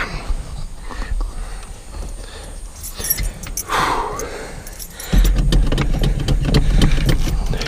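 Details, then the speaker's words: Truck that sat unused for several weeks, cold start: keys rattle, then the engine fires and holds a strong, steady fast idle while warming up; described as cold-blooded. Cold start fast idle, sounds healthy. "oh yes good girl you're a good girl she's a cold-blooded thing so I'm gonna let it idle up for a little bit"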